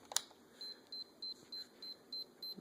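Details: Sony camcorder that powers on but won't load or play a brand-new tape: eight short high beeps about a third of a second apart in a quiet room, with a warning symbol shown; camcorder flagging an error.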